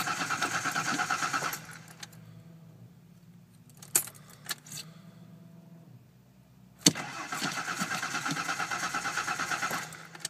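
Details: 1989 Ford Bronco II 4.0 cold crank: steady starter cranking about three beats per second, pause, cranking again, never catches despite having spark and fuel; cranks but won't start.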